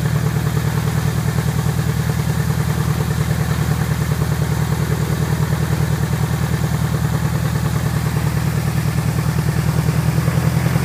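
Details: Piper Apache piston aircraft engine, run-up after rebuild: strong even low drone at higher power, steady firing pulse, no misses or clatter; normal engine run-up.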